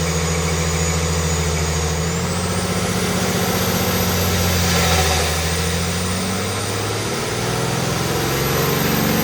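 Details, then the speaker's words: Stock 2020 Cummins automatic on a chassis dyno with the air filter removed and the airbox lid flipped upward: loud turbo whistle climbing and sagging over an unevenly pulling diesel roar; it ran very angry, likely from disrupted mass airflow sensor readings. "It was unhappy taking the air filter out. It was very, very angry."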